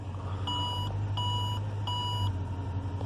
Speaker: but I turned the car on no problems the cars running